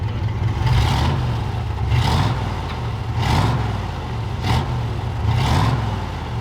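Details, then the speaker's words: 1969 Ford F-250 four-door long bed, believed 390 V8 with 4-speed, revived after sitting 21 years: lifter noise has quieted and hard blips rise and fall cleanly with no knock or miss, with slight smoke from penetrating oil in the cylinders. Healthy rev. "It doesn't sound terrible either. Just a little bit of smoke, but that's it."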